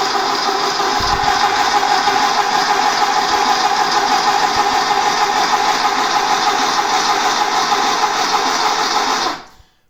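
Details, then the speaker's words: VW engine (Baja Bug/Beetle) after rebuild, cranked with spark plugs out and zinc break-in additive in the oil: even, fast cranking whir about three pulses a second, no compression, speeding up slightly as oil pressure comes up; normal cranking. "you could actually hear the turning over of the engine slightly speed up which is cool I mean everything's starting to get oil"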